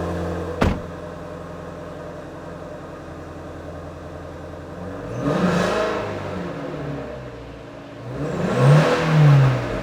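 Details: 2018 Ford Mustang Shelby GT350 fastback, low mileage, original condition, quad-tip dual exhaust: deep, steady V8 burble at idle, then two clean blips rising and falling smoothly; healthy engine, normal idle and revving.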